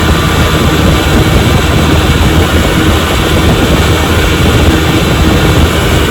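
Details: 1957 Johnson 10 hp QD18 outboard after full restoration (rebuilt carburetor and magneto), boat under way on a lake: deep, steady drone at even pitch over water and wind noise, no surging or knocking; normal running.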